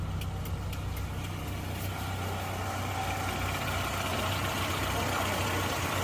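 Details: Suzuki Katana engine after a full overhaul, restored to stock from racing mods (modified parts) after it had been smoking: first start after assembly, settling into a low, even idle rumble with a steady rhythm and no knocks or stumbles.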